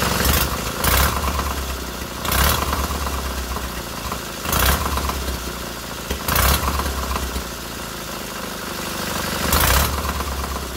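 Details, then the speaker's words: Freshly rebuilt K750 twin-cylinder engine after first start, ignition problem fixed: steady low idle with even beat and a few brief throttle blips; both cylinders firing evenly and heating equally. "voilà les deux cylindrées chauffe tous les deux pareils il chauffe tous les deux pareils nickel chrome va voir le moteur fonctionne"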